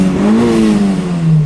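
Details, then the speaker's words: Turbo engine, boost turned down to wastegate: revs climb briefly then sag back, breaking up as it enters boost and won't rev out; owner suspects coil or one cylinder running rich, leak-down test planned. "rev up there it just won't it doesn't like boost it's time for a leak down test"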